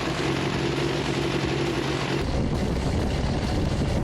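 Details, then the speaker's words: 1959 Piper Comanche 250 engine starting for the first time in over a decade, boost pump off: a steady, deep drone with an even hum and no misses or knocks; it fires right up with good oil and fuel pressure, though the mechanical fuel pump seems a little weak. "that fired right up told you would everything's good or pressure came right up our fuel pressure is good so the mechanical cuz we don't have the Boost pump on so boost pump's coming up"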